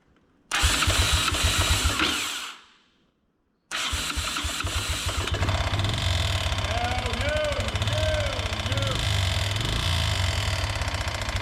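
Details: 1988 Honda TRX125 quad, after a no-spark fix with a pit bike CDI: the single starts, dies, then catches again, with an uneven sharp knock about three a second deep in the bottom end; rod bearing or crank problem suspected.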